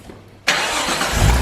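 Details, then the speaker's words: Nissan Skyline R33 GTS-T with freshly built engine, after starter rebuild: brief silence, then catches instantly and settles straight into a smooth, even idle; cleanest start it has made. "that started it's never started that nicely"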